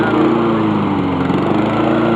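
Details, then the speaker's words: Honda lawn mower after reassembly, running outside before a smart drive test: steady, even single-cylinder drone with no misses, knocks or surging; sounds a lot better than before. "hear it? A lot better than it was before."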